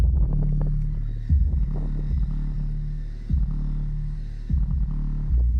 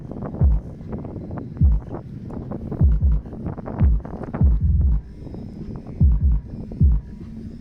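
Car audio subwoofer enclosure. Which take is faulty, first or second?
second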